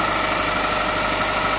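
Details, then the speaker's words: 2006–2009 Honda Civic Hybrid with 185,000 miles, just after a serpentine belt replacement. A smooth, constant idle with a faint steady belt whir and no squeal or chirp; the auto tensioner still works. "Okay. Let's start this thing up. Yay, that sounds good. That sounds good."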